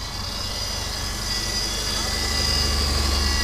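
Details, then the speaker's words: 2004 Subaru Outback, 170,000 miles, new OEM short block installed, idling after coolant was added; the radiator has a small leak, possibly a puncture. A low, even idle hum with a steady rhythm and no ticking, knocking or stumbling: a quiet, healthy-running engine. "It's so quiet, you can hardly even tell it's running, but that's it. It runs."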